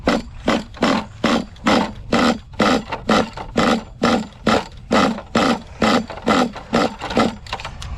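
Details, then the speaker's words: HPI Savage nitro engine with two large scratches on sleeve, still warm, pull-started: quick bursts about two a second, sputtering each pull but never catching; hard starting from low compression. "so that's basically the symptom of low compression you could hear it's trying to catch but it just cannot do it the engine is still warm"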